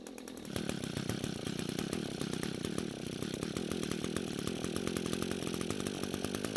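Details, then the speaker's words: Echo string trimmer, which the owner said ran on canned engineered fuel, run on the mechanic's own fuel before repair: a steady high-pitched two-stroke buzz with no stumbling or surging. It runs fine, though the fuel lines and fuel tank grommet are faulty. "So I'm not sure what kind of problem they were having because this trimmer is running just fine."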